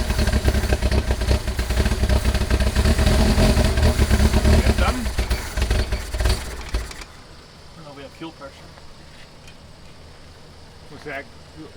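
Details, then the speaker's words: 1979 Lotus Esprit project: about seven seconds of steady cranking without a single catch. The glass fuel filter is empty, showing air bubbles but little fuel flow. Crank, no start from fuel starvation. "filter empty that glass fuel filter yeah i mean i'm seeing air bubbles but i'm not seeing a lot of flow got any gas in it"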